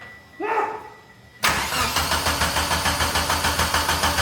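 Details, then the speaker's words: 1995 Mitsubishi Eclipse 2G DSM first start in two years, no intercooler piping or radiator: starter cranks with even chug about three per second but never catches while fuel pours from a fuel rail leak; cranked but no-start. "Oh shit, you're pissing fuel. Oh, cut it. No. Oh, you're pissing fuel."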